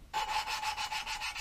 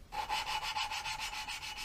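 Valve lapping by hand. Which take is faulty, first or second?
second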